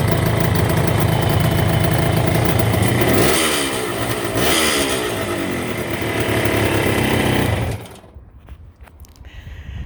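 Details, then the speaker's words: Green Kawasaki 750 H2 two-stroke triple, back from workshop, throatier than the 350: crisp, even deep beat that blips up and settles cleanly before cutting off; healthy triple. "And the 750 that we've had in before, which sounds just a little bit throatier."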